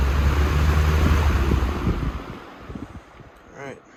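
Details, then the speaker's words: 1994 Lakewood HV-18 fan after motor cleaning and bearing oiling, reassembled with blade and grille: strong low hum with steady rush of air, winds down smoothly, no rattle or scrape; runs normally. "The motor is all back together. It's nice and clean now. It runs great. The bearings are very well lubricated."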